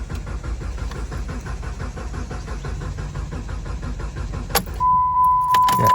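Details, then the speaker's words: 2012 Jeep Compass, towed in: starter spins the engine at a steady, even pace of about three beats a second but it never catches, then a chime; cranks, no start, with codes P0335 crankshaft position sensor circuit and P0522 oil pressure sensor circuit low. "See, it keeps cranking but no start."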